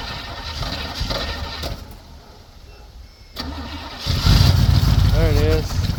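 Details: 1965 Chevy C10 with new battery cables, cold day: starter churns steadily, pauses, cranks again, then the engine catches and roars up; hard cold start.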